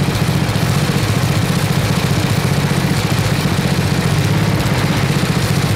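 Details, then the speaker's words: 1979 Toro 826 snowblower, 8 hp Briggs & Stratton, revived, freezing cold: governor rod moved against spring to raise rpm; steady, even thump at raised speed, no misses or knocks; runs healthy. "there we go so all right that's awesome we got it will it run and yes it does this thing's awesome i am super psyched"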